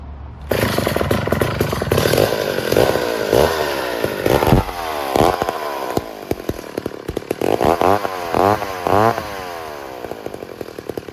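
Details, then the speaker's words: Vintage 1966 McCulloch 250 chainsaw, low-hour, stored 25–30 years: fires after a pull and revs crisply in repeated bursts, dropping back to a steady idle each time; strong, healthy normal running. "so I'm gonna take this thing out and uh fire it up for you let you hear it run because it sounds glorious of course I love these old Macs"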